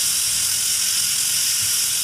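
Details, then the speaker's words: Stovetop pressure cooker, lid locked on setting 1 (low pressure), cooking soy curl mac and cheese, just reached pressure: steady even high-pitched hiss of steam stream, no sputter or surging; normal steam hiss at pressure. "So we have now achieved pressure. You see the steady stream of steam coming out, and you hear the sound."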